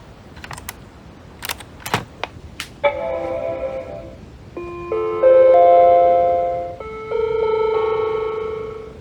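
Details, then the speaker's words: Macintosh Color Classic after analog board recap, on restart: a few clicks, then an odd run of sustained chime notes instead of the single startup tone, Mac death chimes signalling detected hardware failure; exact cause not yet identified. "and yes it's broken again now we have the go to the Apple store and buy another Mac tune which means there's a hardware failure detected"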